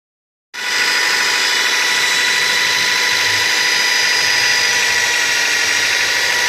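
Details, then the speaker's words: Nissan Tiida: on starting, a harsh, high grinding whine like a grinder sharpening a knife, from the accessory belt area, louder with throttle; stated not to be any pulley, but source not pinned down. "Y es parecido al ruido que hace un esmeril afilando un cuchillo, y ese ruido aumenta cuando se pisa el pedal del acelerador."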